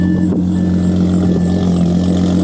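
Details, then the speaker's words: Flood-damaged 2013 Audi A6 C7 3.0T supercharged, first start-up, slow to start from suspected low-pressure fuel pump, muffler and cats deleted: loud, deep, steady raw drone with no knocks or misfires; belt squeal from idlers noted; engine runs healthy. "But, bro, she sounds good. You know, for a muffler delete and cats, I can't really complain."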